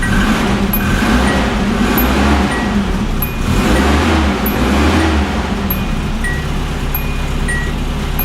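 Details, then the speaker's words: Original 1980 Datsun 200SX, 5-speed manual, 113,272 miles, starting after sitting about 5 years: an even, steady engine note with no misses, knocks or ticks over light street noise; running normally. "Sounds like it's running. It's running pretty good"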